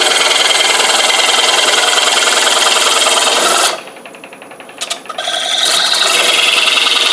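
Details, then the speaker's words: Woodturning lathe, parting tool cutting the first ring of a bowl from a flat board: steady high scraping hiss whose tone shifts and thins, 'singing' differently; parting tool about to cut through. "Okay, y'all hear it's starting to sing a little bit different. That means that I'm about to go through."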